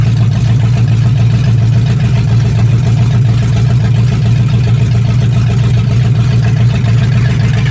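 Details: 1965 Mustang fastback, 289 V8 with Tri-Y headers, first start after sitting 44 years, freezing cold day: deep, steady V8 rumble holding even with no knocks, misses or stumbles. Normal idle; only a dripping carburetor needing a rebuild.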